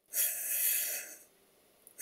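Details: Stuart Double 10V model steam engine, crankshaft turned on compressed air: one cylinder's valve admits and exhausts cleanly with a chop, the other wheezes with a long airy hiss at both ends of the stroke; owner reported knocking after a while and mentioned using machine oil.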